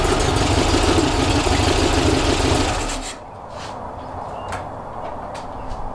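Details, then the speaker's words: Rebuilt 1835cc air-cooled engine with vintage speed muffler for a bus, first run after rebuild: busy, even clatter running steadily, then settling as shut off; ran successfully with no real problems. "So it ran successfully with no real problems. Time to load it up and send it home."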